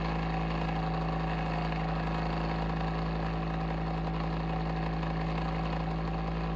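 A steady low drone with a rough, buzzy hum that stays even throughout; the fan sounds wrong, but the cause is unclear.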